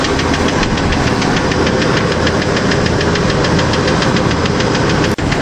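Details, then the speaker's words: 1993 Ford F-150 automatic, newly bought used, at idle. A fast, even tick rides over the steady idle and follows engine speed. The previous owner says it has done this for years; the top-end tapping has no confirmed cause. "whoa this looks like it's gonna be a strong engine once i get that tapping noise done but it does run it does drive pretty well"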